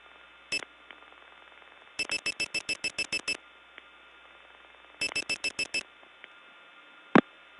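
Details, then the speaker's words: Early-1979 Gainesville, GA step tandem mapping, test code 106: uneven groups of short high beeps over a faint hum; unidentified, broken, annoying and very hard to get off of. "I'm actually not sure what this is but it certainly is something that's broken not only broken but annoying very hard to get off of"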